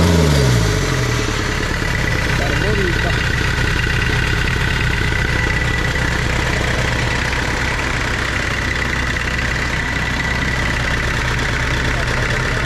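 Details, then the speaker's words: Tata Sierra/Estate indirect-injection turbo diesel, glow plugs preheated, cold-started in the workshop after body restoration: cranks briefly and catches, then settles into a steady, even idle clatter with no misses. "ഏകദേശം അങ്ങനെ finally നമ്മൾ വണ്ടി start ചെയ്തു."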